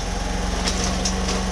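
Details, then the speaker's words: Homelite HG600 small generator after fuel pump clean and new gasket set, started on choke, full volts, no fuel leaks: quiet, steady buzzing drone holding one pitch, no hunting or surging; smooth, healthy run. "no fuel leaks at the moment that's quiet too that's really quiet no hunting"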